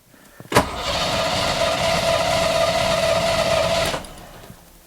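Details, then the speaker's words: 5.0 engine sat about 10 years unstarted, very dead battery, cranked with a Hulkman Alpha 85S lithium jump starter: quick, even cranking about four beats per second for three seconds, no slowing or stalling; starter spinning strongly. "but yeah i'm definitely surprised of how well this cranked this 5-0 engine over like i said it's been sitting for 10 years without trying to start it"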